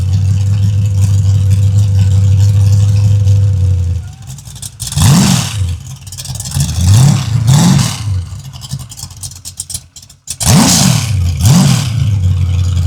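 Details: Freshly built 383 stroker V8 for a 1967 Chevy II Nova, first-ever start on a run stand, full exhaust heard: rough lumpy idle, then sharp throttle blips rising and falling cleanly; fresh engine revving freely.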